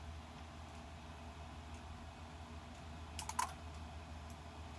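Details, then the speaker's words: Bench test of a repaired Mercedes E320 throttle actuator and control module with the throttle body unplugged to mimic a fault: quiet hum, then faint sharp clicks as the throttle relay drops out and shuts down. "heard that faint click over relay and shut it down over relay"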